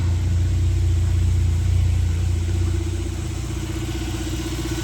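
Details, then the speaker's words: 1996 Suzuki Jimny K6A JA22W RHD running after cold start: low, deep, steady idle with an even pulse, no knocks or ticks; normal idle. "Here's the engine running. Really good."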